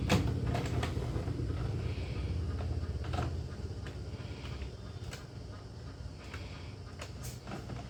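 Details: HP Ink Tank 316 printer after E4 error and grinding-sound repair (decoder strip and sensor refitted), test print: soft clunks and light whirr as paper feeds and carriage moves, fading to quiet hum, no grinding. Normal printing.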